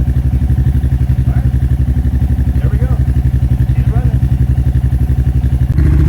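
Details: Royal Enfield Classic 350 with a 410 big bore kit and a 16-tooth sprocket, on its second startup after the exhaust was remounted to fix the exhaust leak. Even, steady big-single idle thump of about four beats a second with no puffing or ticking; running healthy.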